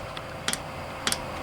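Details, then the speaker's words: Chinese diesel heater dosing pump priming a 50/50 blend of diesel and 10W-30 engine oil, still pushing air before fuel arrives: crisp paired ticks about every half second over a quiet background, normal pump clicking. "I don't think now it's just pumping air out the pump I'm pushing a little bit with it"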